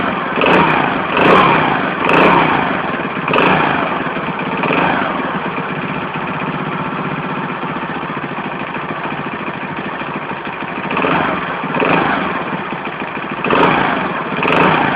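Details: Alpha moped small engine buzzing at idle with a knock on each throttle blip, about once a second, most noticeable when revving; source of engine knock unknown.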